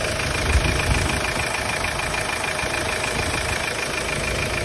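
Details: Hyundai Starex D4CB diesel checked for blow-by: steady, even idle clatter with no misses or extra knocks, no smoke from dipstick tube or breather; engine running normally.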